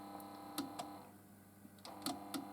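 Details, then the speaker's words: TEAC RH500 auto-loading cassette deck: sharp mechanism clicks and faint motor hum but no tape winding in play, rewind or fast forward. Slipping belt was first suspected; the drive belt has come off the transport. "Now that to me sounds like a slipping belt. That's the classic sign of a slipping belt."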